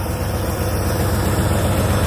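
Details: 1965 Dodge D-500 farm truck started after two pedal pumps, with the air-over-hydraulic brake tank buzzer sounding while filling to 100 psi. Deep, even low rumble at idle with a steady beat and no misses or knocks; healthy idle.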